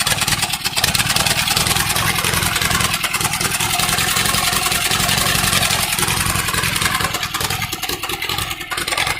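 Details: Allis Chalmers CA tractor with freshly rebuilt, cleaned Marvel Schebler carburetor, first start: uneven stumbling beat with dropped firing pulses under loud exhaust, a misfire; smokes a little, starts well, good oil pressure, otherwise runs okay.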